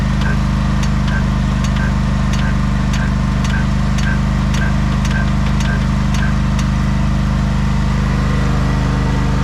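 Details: 1989 Craftsman mower, jump-started after sitting a long time, now running: steady, even low hum with no misses or knocks, some background ticking; wants to stall on throttle-up, owner thinks it needs tuning; otherwise healthy.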